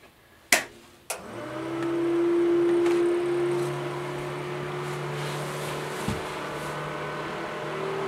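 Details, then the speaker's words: Suburban DD 17DSI furnace blower motor in a roughly 22 ft Nomad travel trailer: the hum starts high, then sags lower a second later. RPM is not steady, drawing extra power, and the motor is starting to tighten up. "so you can hear the motor it's high and then it'll kick down a little bit don't make a liar out of me [Music] okay you can hear it it went up and then down so the motor is starting to tighten up a little bit"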